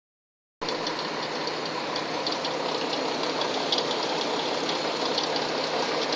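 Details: Hyundai Tucson engine at steady idle with a quick, fairly even light knocking tap through it, roughly three to four per second; engine knock, cause not confirmed.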